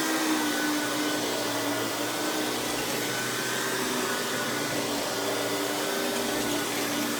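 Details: Hoover PowerMax Supreme 850 S3609 1990s canister vacuum, non-original hose, high speed with power brush on: steady even motor whine, constant airflow rush, no rattles or belt slap; runs very smooth, not the quietest canister; normal running.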